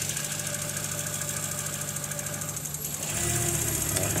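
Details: 1995 VW T4 with ACU petrol engine, stalls and stumbles when warm; a resistor stands in for the temperature sensor to simulate warm-up. The idle runs unevenly with a wavering beat, and the tone shifts and grows louder near the end.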